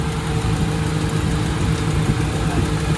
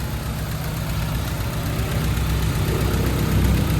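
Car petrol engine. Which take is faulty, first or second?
second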